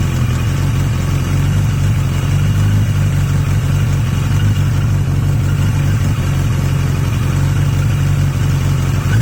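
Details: Yamaha XJ750 "Mack" left idling for a few minutes after a carb swap using the XJ650's carbs; a steady, even low idle with an unbroken beat and no misses, all four cylinders firing cleanly; owner suspects some air-fuel issue.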